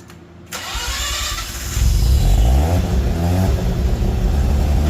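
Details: Mazda RX8 with 13B REW turbo swap, retested after failing an engineering noise inspection, now on a 3-inch exhaust (about 2.5 originally) with the owner's original mufflers: starts and revs to a deep, smooth, muted drone; meter reads 90.2 against a 90 limit.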